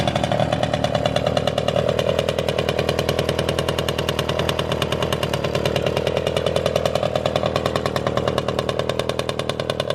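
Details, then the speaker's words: Motorynka two-stroke moped started after years of storage, no carburettor cleaning: fast even popping beat, no misses or knocks; runs normally. "mówię Nie chodź po tylu latach odpala normalnie bez czyszczenia gaźnika"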